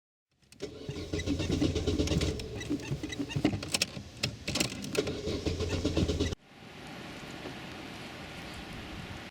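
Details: Opel Corsa B in bad winter weather, driver pumping the pedal: the starter churns in uneven bursts for about six seconds and then cuts off, with the engine never catching; it cranks but won't start.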